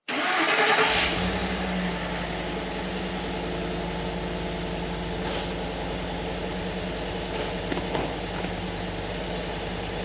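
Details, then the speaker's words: 2012 Ford F-150 5.0L V8 just after starting: a lumpy idle with a steady stumble every few beats and exhaust smoke rings. Code P0308 shows a cylinder 8 misfire, and the coil connectors look poor. "oh 308 is a misfire on cylinder 8 which is the reason the truck is running so rough"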